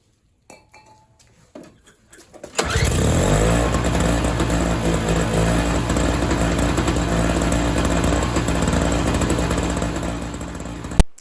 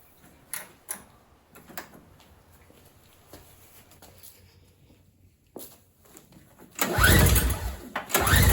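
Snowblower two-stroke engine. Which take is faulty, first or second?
second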